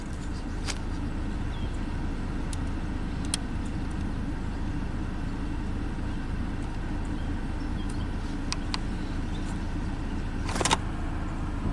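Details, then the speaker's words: 2012 Ford Focus with intermittent no-A/C complaint, started and A/C switched on: compressor thought to be heard kicking on, even quiet idle holding the load without surging, air blowing cool; normal idle with A/C running at this moment. "okay I heard that I think I heard the compressor kick on let's see if it gets cold everything's great oh yeah blowing nice and cool"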